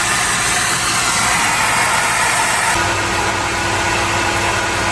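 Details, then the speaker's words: Mercedes HGV truck on full air, engine idling, heard from underneath: loud steady hiss of escaping air; leak traced to a drive axle brake chamber, to be replaced. "Sounds like a drive axle brake chamber to me, that. Let's have a look."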